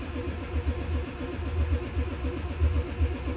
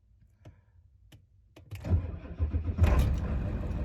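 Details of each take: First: 1995 Ford F-350 7.3L diesel cranking in cold temperatures with white smoke: steady cranking at about four strokes a second, no catch; voltmeter barely dropped during glow cycle, glow plugs not drawing current; faulty glow plug relay, later replaced. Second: 1995 Ford F-350 7.3L diesel after glow-plug relay replacement, about 39°F: start after the wait light goes out, with a few clicks and a short crank, then it catches at once into a steady low clatter; voltmeter needle drops, then recovers; normal cold start after repair.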